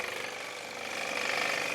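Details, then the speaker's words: Dump-found airless high-pressure sprayer after motor start capacitor repair, first test drawing water: rapid even pulsing hum with high motor whine building steadily as pressure rises; normal pump running. "awesome oh look at the hose go the hose is building up some serious pressure by the looks of things we got pressure"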